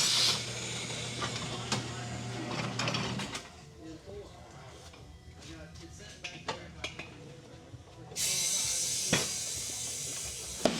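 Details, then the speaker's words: Sharp isolated pops seconds apart over air-line hiss as a new Road 6 tire for a 2022 Yamaha Tracer 9 GT is inflated; the bead snapping over the rim ledge, normal. "What's that popping noise from? It's just the tire popping up on the bead."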